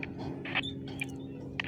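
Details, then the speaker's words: Radio scanner tuned across 450 MHz-band channels before setting up a GPS base radio; short sharp chirps about every half second over soft hiss, digital data noise showing the channel is already occupied. "Oh, you can hear that chirp and it sounds like digital noise. That means someone else is absolutely on that frequency."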